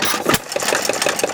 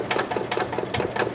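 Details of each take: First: 1919 Domestic side-shaft hit-and-miss engine, timing slightly advanced: light metallic rattle ticking evenly several times a second over the slow thump, traced to a loose nut and bolt up top; some connecting-rod big-end clearance also audible. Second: 1919 Domestic side-shaft hit-and-miss engine, timing adjusted slightly ahead: crisp, regular chuffing beats at a steady rate, no misses or heavy knock; running well.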